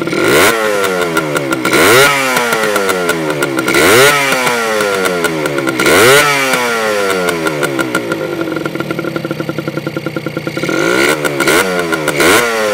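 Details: Honda MT50 (MT5 Tornado) vintage two-stroke, full-power New Zealand version, microphone near the exhaust pipe: crisp ringing buzz revved repeatedly, pitch sweeping up and falling back every couple of seconds, clean and responsive.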